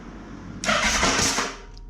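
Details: Motorcycle, first start after refitting the Vmax carburettors and cleaning rust from the tank, float bowls filled by the fuel pump: brief starter crank, then catches with a sudden loud roar that settles back; clean first start.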